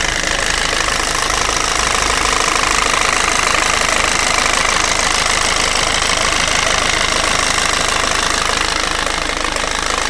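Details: 1.6 HDi FAP diesel idling: a steady, fairly even tapping at about 158 per minute over a sharp clatter; the owner asks whether the sound is abnormal, and the knock source is unclear.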